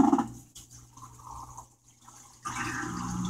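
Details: Whirlpool washer in diagnostic test mode, drain step: low steady pump hum under trickling, gurgling water as tub empties; drain pump working normally.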